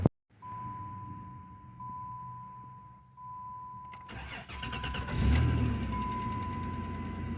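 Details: 1991 Chrysler New Yorker Fifth Avenue revived after sitting almost 20 years: a chime tone, then a brief crank and the engine catches instantly and settles into a steady, even idle, a clean start.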